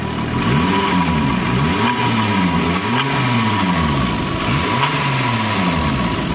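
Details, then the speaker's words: Warm idle right after a drive, once the chain noise was sorted. A light, regular valvetrain tick rides the engine note, steady with speed, and owner says it sounds like a diesel. Owner wonders whether the new lifters failed to prime, but is unsure. "Normalement ils sont censés être amorcés, ils sont neufs, donc je sais pas trop si c'est des poussoirs de merde."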